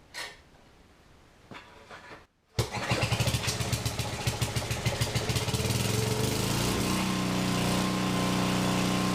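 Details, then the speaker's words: Free generator started indoors after its stuck governor was freed, auto-throttle with a fixed set rpm: brief silence, then it catches and settles into a steady, even beat at constant speed; it runs properly. "all right well that sounds like a success uh my flashlight still work yep diesel lights are great okay so she runs"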